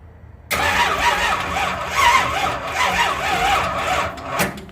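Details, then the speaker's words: 1972 Ford Gran Torino, big block 429, first start attempts, starter jumped at solenoid: starter drags engine over sluggishly in slow heavy surges without catching; weak battery, now on charger. "so the battery's weak that's why it's on the charger right now"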